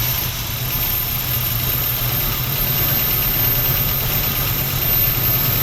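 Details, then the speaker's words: 1968 Ford Mustang barn find sitting 30 years, fuel line in a jug, kept alive with sprayed cleaner: low, steady idle with a fairly even beat; owner suspects the fuel pump is shot, not confirmed. "I'm pretty sure our fuel pump is shot, cuz she's only staying alive on the the carb cleaner."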